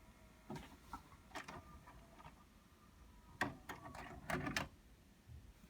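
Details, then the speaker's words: Pioneer DVR-RT502 DVD/VHS recorder, VCR eject pressed after stopping playback: short plastic clicks and clunks as the cassette drives out, hits the tape door that won't open and pulls back in to resume playback; the door must be held open by hand to eject. "And when we go to eject it, you're going to hear the tape hit the door because the door's not going to open."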